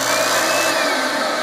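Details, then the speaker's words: Rug Doctor carpet cleaner after a pump kit replacement, switched to the tool setting with spray nozzles covered, pump running continuously: steady, even motor whine with constant hiss and clicking, no surging; normal pump running. "when I turn it onto the tool setting the pump will just run all the time hear it clicking"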